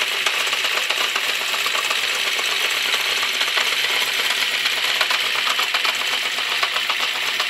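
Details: Honda CB650 Custom idling after warm-up from a very cold start: a fast, dense, light ticking holds steady over a quiet idle with slight backfiring. The owner suspects the clutch or cam chain area, plus valves on cylinders 3 and 4 (right side).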